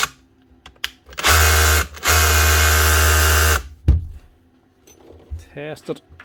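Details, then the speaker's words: Makita DHR242 18V cordless SDS drill, just over a year old, customer says starts and stops: hammer rattles hard, drops out split second, picks back up, only when hammering. "she's indeed starting and stopping but only when she's actually hammering so it might be a connection problem hopefully on the board on here"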